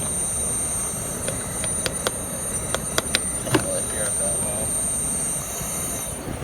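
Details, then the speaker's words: 2005 Yamaha Raptor 660R five-valve engine, top-end leak-down test: steady high hiss of escaping air with sharp clicks; very large percentage of air lost, air felt coming out of the intake, little at the exhaust, pointing to a leaking intake valve. "You can see we're losing a very large percentage of that air, which means we've got a really bad seal somewhere, either in the valves, the head gasket, or the rings. So I can feel air coming out of the intake."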